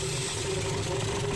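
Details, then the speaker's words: Mitsubishi 4M40 2.8L diesel from a Delica, run outside the vehicle after scrapyard purchase, first start: idles rough and stumbling from air still in the fuel system; injector lines being cracked to purge air from the nozzles. "came out but still running a bit rough because we have an error okay let's crack the rest of the injectors engine one fired up because we won't have a pressure at the injector nozzles but we'll push the rest of the air out"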